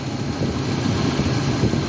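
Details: Nissan pickup at idle, stethoscope probe on back of alternator and pulley: low rough growl under the engine note from the engine compartment.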